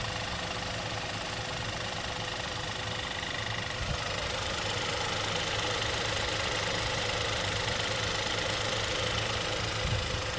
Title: Hyundai i20 N part 2,Replace Timing Chain and problem solving with strange noise #mechaniclife